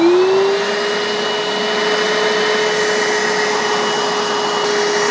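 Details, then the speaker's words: Bissell Little Green 1400 portable carpet spot cleaner left running to suck air through the hose to clean it: motor spools up, steady even mid-pitched whine with airy rush; normal suction. "So when you're done, it's good to shut them, or to leave the machine on and just let it suck air through here to kind of clean out the hose."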